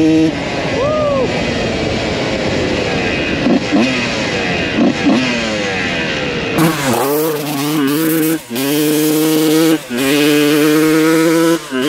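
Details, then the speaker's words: 1993 Honda CR125 two-stroke after carb adjustment: ringing revs climb, stumble and dip just before top RPM, then pull hard again; carburetion still breaking up, owner suspects needle position. "it's like right before you hit Top RPMs you can kind of hear it breaking up a little bit"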